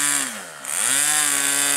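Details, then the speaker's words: Aero-star .40 RC plane glow engine in flight: high steady buzz with one dip and a clean recovery, then holds even; normal running. "that engine's got some Jam"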